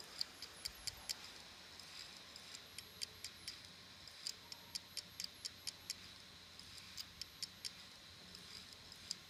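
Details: Samsung ST1000LM024 laptop hard drive from a Samsung laptop, damaged: faint sharp clicks in irregular runs, about two per second, over near silence; failing drive clicking.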